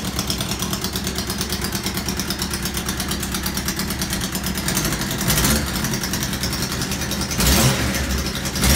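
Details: Honda CB600 Hornet F3 revving: sharp, rapid puffing ticks on every firing pulse, louder with each blip, from one exhaust collector; later traced to pair valve link pipes; exhaust leak.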